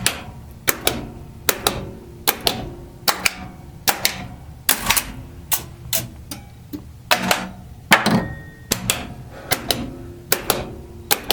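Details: Bally Playboy pinball machine, solenoid test heard from underneath the playfield: sharp, separate clacks about once per second, each coil snapping cleanly, so the solenoid test is working normally.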